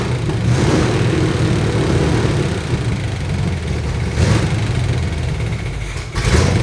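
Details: Chevy C20 truck V8 just started after loosening the distributor to set timing by ear: uneven, surging idle with lumpy revs that never steady, rough running before timing adjustment.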